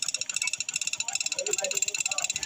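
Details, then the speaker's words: Yamaha STX 125 sidecar running with a sharp, light metallic tick about ten times a second; ticking began after a new stator coil from another shop was fitted; mechanic suspects the pulser or stator coil. "guys, napakinggan naman natin na mayroon talagang tunog na lumalagitik. Pero sa tansa ko dito guys, dalawa lang nandito sa palser o sa stator coil."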